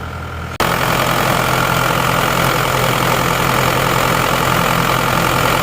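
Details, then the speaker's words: Isuzu Panther diesel, cold morning start, before rebuild after running out of radiator water: hard start, smoky, rough idle with heavy uneven knock about three to four per second; damaged pistons and liners. "Oke mesinnya berasap seperti itu agak sulit ya tadi jadi nggak langsung cengreng"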